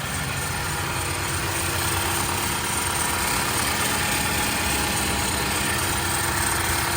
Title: The engine is excessively noisy after changing the frame